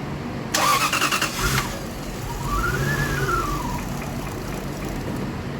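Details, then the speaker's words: 2000 Lexus GS400 crank-and-stall, no check engine light, spray in intake: short cranking, brief catch, then weak uneven running fading out; fuel system apparently shut off, mass airflow sensor suspected. "I mean it's better but whatever it is is deactivating the f fuel system that's what it seems like"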